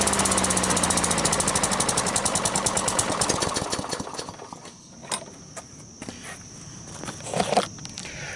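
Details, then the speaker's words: Cheap flea-market Sears lawn mower fires and pops rapidly and evenly for about four seconds, then sputters and dies; spark and valves fine, no primer slurp heard, owner suspects carburetor problem, possibly water in gas. "as I was pushing that button I didn't hear that kind of Slurpee sound that you should hear I'm thinking it's got a carburetor problem"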